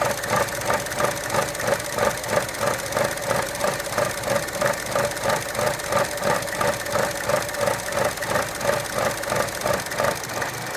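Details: Gen1 2012 Chevy Cruze 1.4, warm idle with dipstick removed: rhythmic pulsing surge about three times a second over steady hum; rough idle only with dipstick out, owner suspects failed PCV valve or valve cover seal, unconfirmed.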